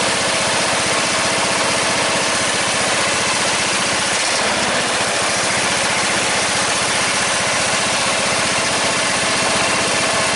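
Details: 14.5 Briggs & Stratton single-cylinder lawn tractor after a no-start fix with a new fuel line, running with the breather on; steady, even idle putter with no stumbles or surging, sounding settled; normal idle.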